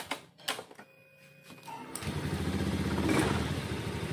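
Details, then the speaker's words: Honda Scoopy FI, rarely used, no spark traced to rat-chewed wire to the ignition coil, after repair: a few clicks, then fires and settles into a quick even putter with no misses; normal start. "Hai kedalaman disini motornya sudah hidup kembali berarti masalahnya tadi itu pada kabel yang menuju koil ini"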